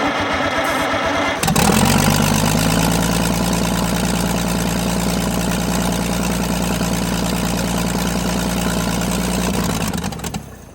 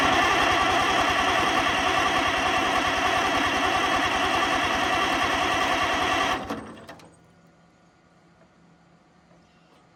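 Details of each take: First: Oliver 88 row crop tractor that sat 20 years, after starter and ground work and starting fluid: it cranks briefly, catches and settles into a steady even idle. Normal running. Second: Oliver 88 row crop tractor sat 20 years, after cleaning grounds and rebuilding carburetor (fuel now present): steady cranking about three and a half beats a second for six seconds, never catches; owner suspects no spark; cranks but no start.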